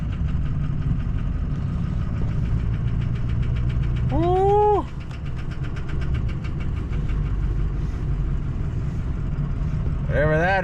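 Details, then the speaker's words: Ford Powerstroke diesel just reassembled, driven at about -26 to -30 degrees. It rumbles along, then a rising whistling squeal sweeps up and cuts off twice as boost builds. Abnormal noise under boost, cause unclear. "oh we got boost when we should have Boost oh uhoh something doesn't sound good"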